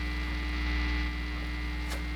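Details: Fender Squier Stratocaster through amp during rewiring, single-coil pickups, 5-way switch: steady, deep electrical hum with a buzzy edge that never changes; mains hum, cause suspected, not confirmed.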